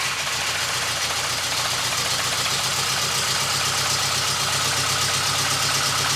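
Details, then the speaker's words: VW Golf 2 GTI with Digifant injection at idle after fitting smaller injectors; rough, lumpy idle with an uneven beat, sounding like one cylinder missing. Unchanged by the new injectors; owner unsure, wonders about fuel flow. "comme tu l'entends sur la vidéo elle tourne exactement pareil on dirait vraiment qu'il manque un cylindre"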